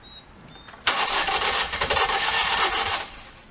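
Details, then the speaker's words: 2018 Ford Escape 1.5 with codes P0301 and P0302, water in cylinders: starter spins fast and free with no compression drag and no firing, slightly slower on a weakening battery. Exhaust camshaft slipped inside its sprocket/phaser, engine out of time. "it sounded like there was no timing belt on at all our timing issue but today it's cranking a little slower it's probably because the battery's gone down a little bit"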